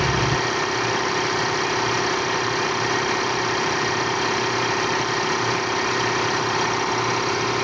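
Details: Piston air compressor that was noisy, running after belt replacement (gasket replaced, oil changed, motor bearings checked fine): steady, even chugging with no squeal, slap or knock.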